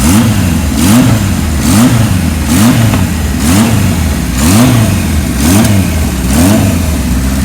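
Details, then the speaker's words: 1978 Kawasaki KZ1000 LTD with Kirker header, cold engine on choke, running on reserve: even four-cylinder burble with quick throttle blips rising and settling cleanly; normal idle and revving, bike sounds nice and healthy. "Bike sounds nice. Got a Kirker header on it."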